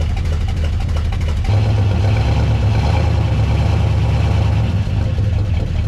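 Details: 1969 Buick Wildcat V8, barn-stored 26 years since 1998, at idle after revival: a deep rumble with a fast, uneven tapping over it that sounds like knock but is a loose fender rattling.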